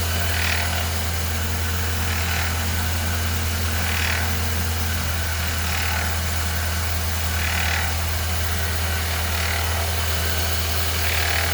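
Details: 2013 Ford Fiesta Zetec Rocam at idle, with a light metallic rattle pulsing about every two seconds. Thought to be the timing chain, it was the idler pulley bearing; replacing it fixed the noise.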